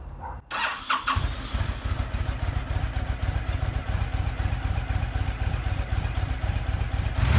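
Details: Honda VTX1300 stored five years, after fuel system, tank and carburetor cleaning and new spark plugs: brief crank, catches and settles into steady loping V-twin idle about four beats a second; normal start and idle.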